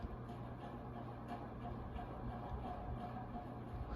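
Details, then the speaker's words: 1986 Canarm CP56T(A) 56-inch industrial ceiling fan running near high speed: a quiet, steady low motor hum with a faint blade whoosh and no rattles or scraping. One bent blade had been straightened. The fan motor is running normally. "I decided to shut up so you guys can hear the motor yeah I imagine trying to take a test in that classroom and hearing that"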